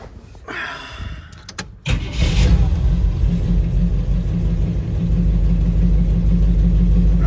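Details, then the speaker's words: 1959 Ford wagon V8 after replacing a fouled spark plug and wire on a dead cylinder: starts and settles into a steady even burble on all eight; plug likely fouled by previous rich-running Q-jet carb. "that sounds like an 8 cylinder all right so I guess we just had a foul plug"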